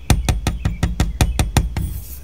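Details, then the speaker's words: 1973 Corvette Stingray interior, tap test on the Astro ventilation vent: sharp hollow clacks at each tap, about five per second, ringing loose rather than dull; loose vent screws rattling, fixed by gently tightening them. "these screws definitely have kind of a clacking sound that one and that one hear that"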